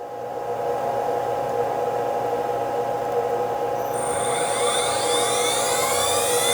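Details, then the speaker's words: XPro V5 CNC spindle spun up in spindle mode before switching to the laser: steady high whine holding even pitch, running smoothly with no roughness or grinding; healthy spindle. "So I'm going to show you we're in spindle mode by spinning it up, and you'll be able to hear it if not see it."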